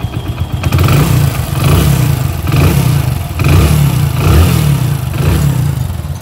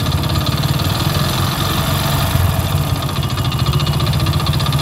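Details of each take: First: Hero HF Deluxe single-cylinder bike after engine rebuild: idle then repeated blips, revs rising and falling cleanly with a steady deep beat and no knocking; sounds like a new bike, normal revving. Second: Hero HF Deluxe single-cylinder motorcycle, about 80,000 km (meter reads 43,000), at idle before an engine rebuild; light, rapid knock under the exhaust beat each turn; crank bearing knock.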